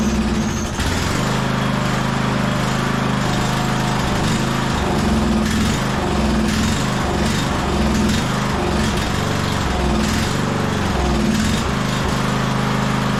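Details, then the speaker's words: 1998 MTD Yard Machines 15.5 hp lawn tractor, off choke: single-cylinder runs with uneven, hunting beat, surging and stumbling, won't hold idle, smoky, better at full throttle; owner suspects dirty carburetor (later replaced with new carb). "all right getting a little Smokey in here but to me that sounds like it probably has a dirty carburetor no surprise right uh it seems to be running a lot better on Full Throttle it was off choke which was good but uh yeah it didn't really want to idle there"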